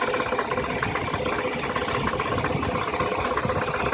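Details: 2008 Infiniti G35x at idle, noise from underneath, gone once moving: rough rapid irregular rattling buzz about three pulses a second; underbody noise at idle, cause unknown.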